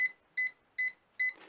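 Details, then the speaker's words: Jump starter (Ultimate Speed 12000) connected to a dead car battery: short high beeps about every 0.4 seconds with the red light on, an error warning that the battery is too flat to start. "ça ne marche pas il bip voyant rouge est allumé donc là vous pourrez pas démarrer la"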